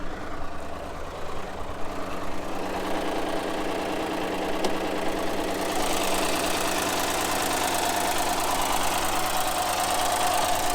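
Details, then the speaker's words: Push-start car at a Copart auction that started right up but sounded rough. Idle with fast, uneven top-end chatter about twice a second, so it was shut down; the engine oil pressure warning came on. Valvetrain noise, possibly from low oil pressure. "there's a lot of chatter coming from the top end of the motor i'm going to go ahead and shut it down so we don't cause any damage if there is something wrong with it"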